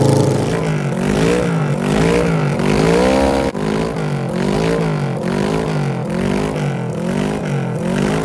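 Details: 1974 Kawasaki Z1B 900 four-cylinder engine, never apart since factory, run out of the bike for the first time in over 40 years with carbs balanced by wire and blowing; crisp revs rise and fall cleanly and settle evenly with no knocks or misfires: normal running.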